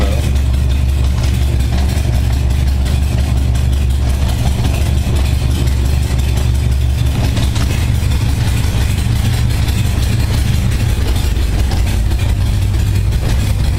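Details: 1978 Honda Goldwing just after a cold start on choke, following carburettor sync, about 52°F ambient; deep, even idle near 600 rpm with a steady low beat, no misses or hunting. Carbs synchronized, it would never idle like this before.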